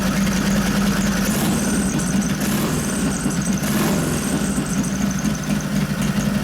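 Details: 1989 Harley Softail 93ci panhead, Mikuni HSR42 carb rebuilt and rejetted, accelerator pump turned way down: steady loping V-twin idle with clean throttle pickups, no stumbling; runs fine.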